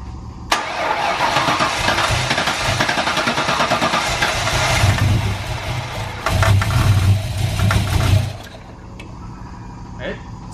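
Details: Boosted V8 GTO, first start with setup wizard tune, fuel pressure at 58.5 psi, running a little rich, held on throttle: cranks, catches, stumbles, lopes and misfires before dying; base ignition timing never set.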